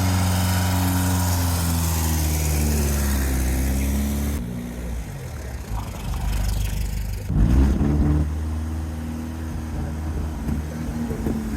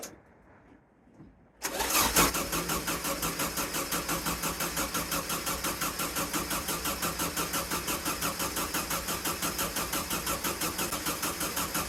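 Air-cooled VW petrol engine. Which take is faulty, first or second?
second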